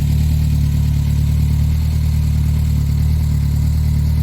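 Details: Reliant Robin small petrol engine idling after charging-problem fix: smooth, even low idle with no knocks or misses, steady throughout; normal idle.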